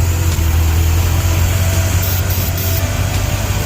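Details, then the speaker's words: 1956 Ford Thunderbird, surging since purchase: deep, uneven loping idle rising and falling; starting fluid sprayed at the carburetor seal levels it out, showing a vacuum leak at the carb seal. "So the car's surging. Been doing it ever since I got it."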